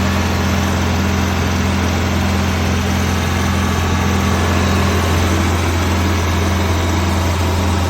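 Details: 1991 Prevost bus with Detroit 8V92 two-stroke diesel, revived after 10 years not starting: deep, steady drone with strong low hum and even beat, no knocks or misses; healthy idle.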